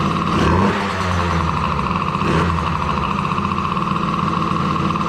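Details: Daughter's DRR 90 after water pump rebuild kit (bad shaft caused leaking seal), coolant topped off, started to check for leaks: small engine runs steady with quick throttle blips, settles to even idle; sounds healthy.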